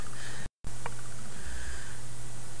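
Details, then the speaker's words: Microsoft LifeCam Cinema HD setup, standard USB microphone sampling lowered to 22 kHz to avoid the camera's high-pitch noise: only a low steady hiss, faint hum and one brief dropout, no whine; normal quiet microphone background. "all right so that's uh that's my fix for this particular high-pitch noise issue with the lifeam cinema HD"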